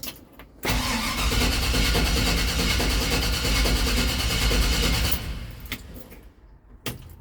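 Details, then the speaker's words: 1969 Chevrolet C20 Longhorn pickup, non-original 350 V8 with FAST throttle body EFI, no gas pumps: short crank, catches straight away and holds a steady, even idle with no stumble; normal cold start. "So that's no pumps on the gas, that's just letting the EFI do"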